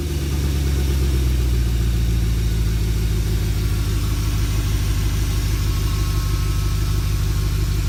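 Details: BMW E39 540i V8 after water pump replacement, fan clutch and blades removed, before bleeding coolant: steady, deep idle with even low pulses and no knocking or squealing; normal idle.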